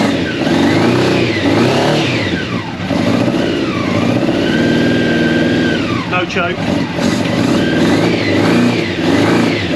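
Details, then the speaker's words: Free old Honda CBR600 steel-frame track bike, long unused, first start on choke after tank refit, fuel pump priming: engine picks up cleanly and falls back with throttle blips, a bit boggy, not yet at temperature. Normal running and revving. "but that's a win and that's a win the free bike she runs"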